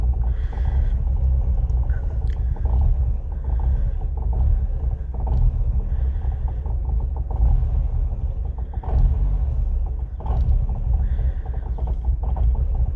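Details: 2000 Ford Fiesta MK4 1.3L 60 hp Endura engine, rough idle that stalls; scan tool flagged the MAF/intake air temperature sensor, replaced without change, and it reads -40°. Low, uneven idle that sags and surges with no throttle input. Cause unconfirmed.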